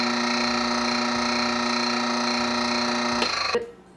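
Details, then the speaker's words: Mockmill 100 grain mill turned from coarse setting 10 to fine setting 1: steady motor hum with light quick clicking about four per second; stones barely touching, ready for fine flour. "Once you hear that clicking, you know that it is ready to make some really fine flour, because the stones that are inside of it are barely hitting each other and they're ready to grind over each other."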